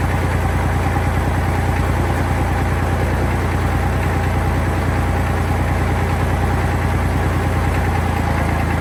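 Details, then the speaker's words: Tractor diesel after maintenance including alternator belt work, run about 10 minutes up to normal operating temperature: steady, even, smooth low thrum with no knocks or misses; normal diesel idle. "So that got her up to a normal operating temperature. Seems to be running just fine."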